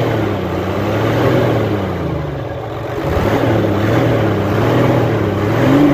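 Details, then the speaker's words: Hino Euro J08C six-cylinder truck diesel after air-compressor fault repair; deep steady hum swelling gently with throttle, no knock or rattle, noise cleared and engine healthy. "बस ठीक है माशाल्लाह कलियर हो चुका है"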